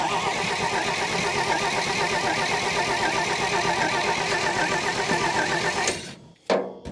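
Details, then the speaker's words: Old Dodge Power Wagon flathead on a 12-volt battery, heavily fuelled, cranks evenly for about six seconds without firing. The coil wire came out of the distributor cap; owner suspects no spark from a 6-volt coil burned out on 12 volts. "I'm wondering if maybe I didn't lose spark. The coil wire absolutely came out of the distributor cap."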